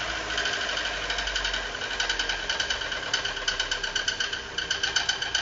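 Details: Fiat Uno 2018 with Fire Evo engine, started in the workshop before teardown: fast, sharp metallic ticking with steady rhythm, an abnormal internal engine noise whose cause was not yet identified; engine previously opened, to be disassembled to diagnose.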